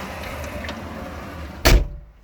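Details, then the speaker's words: Kubota L4330HSTC tractor with intermittent stalling and no-start: one sharp single click over a low rumble, a relay underneath tripping on its own like a breaker, key untouched; cause not yet found. "just clicked I'm not sure what exactly that is I haven't touched the key or anything kind of here almost like a breaker tripping on off"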